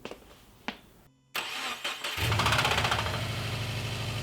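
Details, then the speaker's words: 2013 Subaru WRX engine started and idling roughly with a steady, deep knocking under the exhaust note; spun rod bearing causing rod knock. "before we do anything I might turn the car on so I could show you guys what it sounds like when you're getting rod nog it's a pretty distinguishable sound so if you hear it there's a good chance you have a rod knocking you spun a rod bearing"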